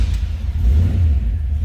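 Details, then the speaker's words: 1963 Chevrolet Nova 2-door hardtop, 350 V8 with manual choke, fires up easily and settles into a deep, even rumble with a steady low beat and no ticks or misses. Normal idle. "350 fires up easily. There is a manual choke down here, FYI."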